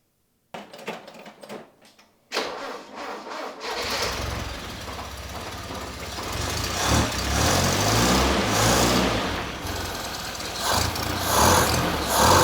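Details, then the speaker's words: RA28 Fastback Celica on carburettors, being readied for registration inspection, exhaust stud just packed with washers: starter cranks, engine settles to a steady idle with light valve-train ticking and carb intake hiss, no exhaust leak puffing; normal valve train and intake noise. "I mean you can hear the valve train and you can hear um air being sucked in and particular valve through the carbs"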